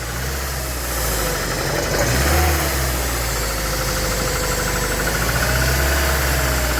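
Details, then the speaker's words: Petrol Ford Transit van after intake leak repair, leak fixed: four-cylinder idle with a regular skipped pulse in the exhaust beat; misfire, suspected at spark plug one or its lead, not confirmed. "all up and running we've got no leaks but we have got a misfire so um I think spark plug one"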